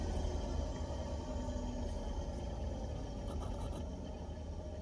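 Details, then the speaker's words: Car audio with aftermarket speakers and added 4-channel amplifier, previously hissing and static; with wire pressed against the head unit the speakers are silent, only a low cabin rumble remains. "it's gone no more sound coming out or at least not none that I can hear and it's it's really enjoyable to listen to now the sound is gone"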